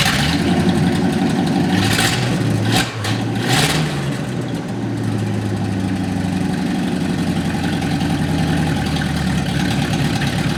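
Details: 1955 Chevrolet stored 20 years, started after wiring work: catches, blips up briefly, then settles into a fairly steady low rumble; it starts and keeps running.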